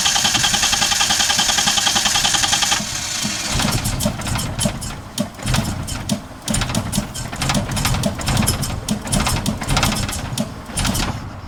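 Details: Car with distributor being rebuilt, timing light attached, test start: starter churns evenly about three seconds before the engine catches and stumbles into a rough, uneven run; hard starting, cause unknown.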